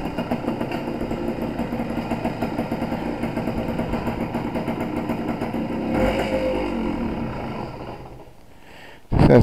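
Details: Suzuki TS185 two-stroke road test after main jet change and needle clip moved to middle: buzz climbs crisply, no burble or stumble around 3-4 grand; much better, carburation close to right.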